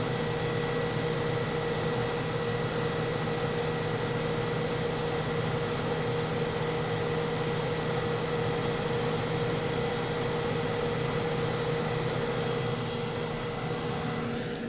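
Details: 1981(?) Kenmore 48-pint dehumidifier with Tecumseh AE compressor on constant run, two-speed fan: smooth constant compressor hum with even fan rush, no rattles or cycling; running normally.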